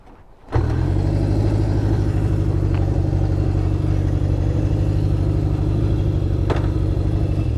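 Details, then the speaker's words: 1972 Honda CB750 four-cylinder, after carb rebuild and sync, on test ride: uneven, lumpy exhaust stumbling instead of smooth hum, down a cylinder; misfire traced to voltage loss from dirty kill switch contacts. "Kind of sounds like it's down a cylinder right now, which is weird. Yeah, it's not happy. I wonder if I dropped a plug or something."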